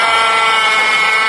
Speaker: today I will teach you how to judge engine failure by abnormal noise abnormal belt noise abnormal engine knocking noise abnormal three-way valve noise abnormal piston pin breakage noise abnormal steering pump